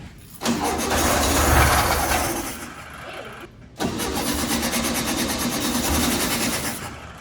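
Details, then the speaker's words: 1967 VW Beetle flat-four with varnish-filled carburetor, after new wiring terminals and cleaned points with reset gap, fed brake cleaner: cranks, catches with a rising roar, cuts, fires again into a ragged run; it starts and runs. "Keep it going. Keep going. Woohoo! She's a runner."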